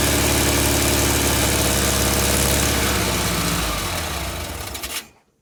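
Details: VW Beetle air-cooled flat-four under restoration, started after alternator smoke repair with coil connected by touching wires: even chugging idle about four beats a second, no misses, then switched off; exhaust smell, moisture steaming off, belt tension uncertain.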